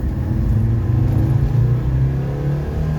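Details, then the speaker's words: 2016 Land Rover Defender, turbo, converted from diesel to petrol, after engine carbon cleaning, on a test drive: a deep, even engine note climbs steadily under throttle with no knocks or misses; smooth, healthy acceleration. "man it's so smooth i need new brakes i think because the car's turbo's gone so fast"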